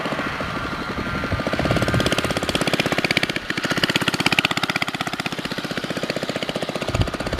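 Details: Baja Dirt Bug with an old worn 2 hp Briggs & Stratton side-valve engine replacing the China engine with a bad crank seal: rapid, slightly uneven putter holding pace, no knocks or grinding; sounds pretty good.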